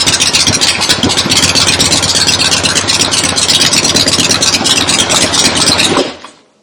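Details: Freshly rebuilt 1975 Harley-Davidson XLH Ironhead Sportster V-twin, first start with temporary lawnmower gas tank; loud lumpy running with crisp exhaust pulses, then dies abruptly ("farted once and quit"); oil return established, oil pump working; normal idle.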